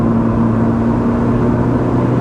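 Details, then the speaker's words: Pontiac Sunbird after repair, floored at around 50 mph: a loud, steady, even drone with no stumbling under hard pull. Normal acceleration; the idle is still slightly low. "yeah not an issue hell we're already going 50 floor it yep good guys I'm going to say she's good"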